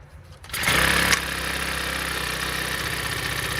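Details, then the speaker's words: Honda four-stroke weed eater that wouldn't start, after sanding carbon buildup off the spark plug tip: catches almost instantly and settles into a steady, even high-pitched idle with no misses; normal start and idle. "wow as you can see she start up right away so the problem was just little carbon build up on top of the spark plug"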